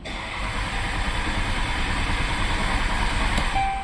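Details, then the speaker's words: 2012 Dodge Caravan cranks steadily at about three pulses a second but won't start: replacement engine control module lacks the matching VIN, so the security light stays on; fix is writing the VIN to the module with a scan tool. "ما راح تشتغل ايش مهما تحاول ما راح تشتغل"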